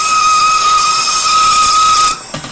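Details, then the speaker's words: Lathe turning high-impact ductile iron marine engine coupling in four-jaw chuck, 1/8 inch cut: piercing steady high whine through the cut, stopping abruptly; chatter because the workpiece sticks out farther from the chuck. "Probably because we're sticking out just a little bit farther, we're getting that"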